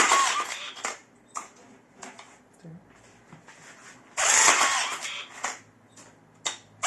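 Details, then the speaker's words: Second repaired rebar tying gun, freshly loaded spool, top covers not fitted: several short whirring bursts about a second long, each ending cleanly with quiet gaps; everything works perfectly, normal tying cycles. "Тоже все работает идеально."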